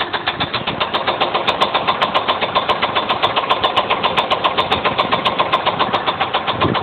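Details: 2000 GM cube van, 5.7 L V8, 121k miles, just after head gasket job: sharp regular metallic knock about four per second at idle; rod knock suspected, valvetrain also questioned, not confirmed.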